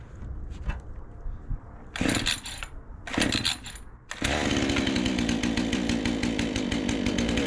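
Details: Troy-Bilt 20" two-stroke chainsaw after carburetor adjustment, started with choke on and ignition on: a few pull-start rasps, then it catches into a steady, even buzz with no stumbling, running far better than before.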